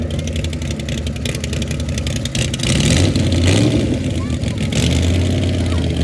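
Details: Uneven, stumbling engine beat with dropped pulses through the revs, about four a second at low speed; the engine is misfiring.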